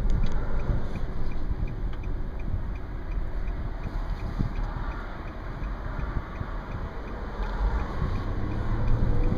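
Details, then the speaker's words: 2010 Nissan Murano LE with sunroof open, recorded under the sunroof cruising at about 45–50 mph: heavy low rushing buffet rising and falling with speed; pretty loud wind roar through the open sunroof. "Alright, 40, cruising at 50. Pretty loud for 45, at least I think."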